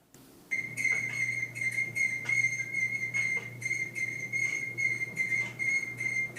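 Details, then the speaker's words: Whirlpool Cabrio front-load dryer running before repair: a piercing high squeal pulsing about two to three times a second over a low hum. Diagnosed as a belt problem, to be fixed with a belt, drum roller and idler pulley kit. "You see this is a belt problem. So I need to replace the belt."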